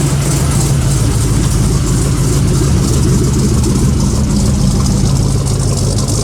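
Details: 1956 Buick V8 with a small Stage 1 Summit cam, idling warm after a cold start: deep, steady low rumble with a slight even lope, no knocks or ticks; initial start-up noise blamed on air in the Hydro Boost power steering pump. Healthy idle.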